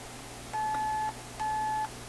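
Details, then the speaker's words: RCA Victor Nipperette radio, failing with no obvious cause: test tone fed through an in-circuit capacitor (probably a 0.1) gives two clean, steady beeps over faint hum, so the capacitor still passes signal and hasn't lost its capacity. "so this one's not lost its capacity because i'll show you see this is probably a point one"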